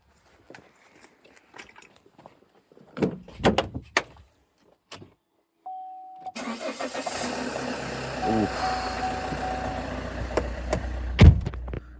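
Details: 2012 Vauxhall Astra 2.0 CDTi diesel after fixing a no-crank (P0615 starter relay control circuit) fault: quiet, then a short crank that catches straight away into an even, steady idle. Normal start; the starter works properly.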